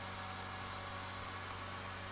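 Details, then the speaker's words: Nintendo Wii that won't display video, fuses on the optical drive not open, at power-on: steady low whir with even hiss as the disc drive spins up; still no video output. "The optical drive did make a sound this time, whereas the bottom one did not make a sound."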